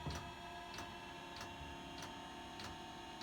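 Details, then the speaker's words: Chinese diesel heater installed in an aluminum boat, running: crisp, even fuel pump clicks about every 0.6 seconds over a mild steady hum; normal dosing pump pulsing, subtle, a bit louder than a propane heater. "it actually makes a bit of a clicking noise again pretty subtle not anything that is going to bother you or scare fish or anything like that"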